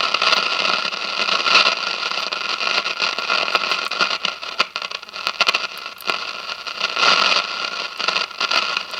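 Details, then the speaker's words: 1957 General Electric model 875 All-American Five tube radio after replacing the dual filter capacitor, drawing 23 watts; only hiss and light crackle from the speaker, no drone underneath; hum-free output. "okay so the hum is gone so that's good news the hum is gone"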